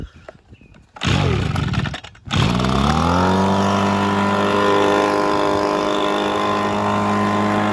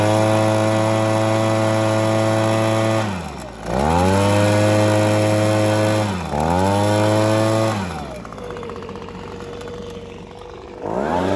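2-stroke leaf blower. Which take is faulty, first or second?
first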